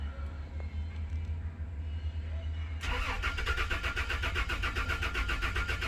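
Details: Toyota Land Cruiser V6: the starter turns the engine over at a quick, even rhythm, but it never fires. Crank, no start; spark, fuel pressure and the fuel pump relay are being checked, and the cause is not confirmed.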